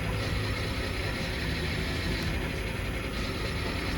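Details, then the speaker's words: BMW E60 525i 3.0 N53 petrol engine idling unevenly with lumpy stumble and power loss; misfire followed swapped coil 1 into cylinder 2 after codes cleared, showing that coil is bad, ignition coil misfire. "is a misfire in cylinder 2 therefore coil 1 that we have put in cylinder 2 is telling us that it is in bad condition"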